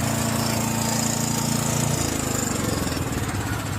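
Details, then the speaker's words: John Deere 6200 portable generator, stored four years with old fuel varnishing the carburetor, after replacing the carburetor with new gaskets: steady, even speed with a constant buzz, no misses or surging; normal running. "Oh, that sounds an absolute ton better, boys. Job done. Sounds amazing."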